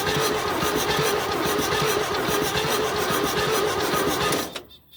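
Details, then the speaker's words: 1972 GMC tow truck sat 22 years, crank attempt with gas in intake: lazy cranking about four compression beats a second, never catching; cable runs hot, slow crank blamed on an undersized starter cable. "We might need to take that and put it on charge. It doesn't feel all that good, but feel how hot that is."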